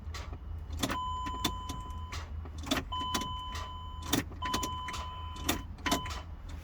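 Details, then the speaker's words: Chrysler Pacifica, code P0706, starting only sometimes after many tries; each key turn gives one sharp starter click with no cranking, chime in background; a corroded engine ground is starving the starter. "just normally starter mix click click click sound when you try to starting"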